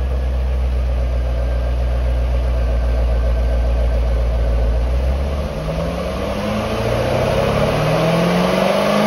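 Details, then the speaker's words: 2008 C6 Corvette after the new NPP exhaust vacuum solenoid is reinstalled: deep V8 idle, then rising revs with the exhaust opening up louder and fuller, even and clean. Normal rev with exhaust valves opening after repair. "okay so now that everything's reconnected we're gonna start it up and see if it works like it's supposed to keep an eye on the actuator arms when i rev it up and see what happens"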